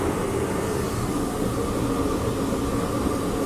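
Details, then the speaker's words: Torpedo heater after repair, just plugged in: brief choking on start, then constant jet-like roar with steady fan hum, no sputtering or surging; burning cleanly and running normally. "she did a little choie thing but she did fire she is on sounds"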